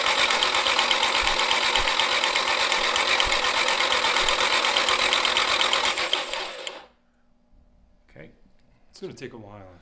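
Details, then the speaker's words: Nissan 240SX S13 with SR20DET, long abandoned, cranked with the fuel pump disconnected to prime oil: a fast, dry, even clatter of nearly three beats a second that stops abruptly. Possibly oil not yet reaching the top end, unconfirmed; unusual mechanical noise while cranking. "i hope not a little different mechanical noise"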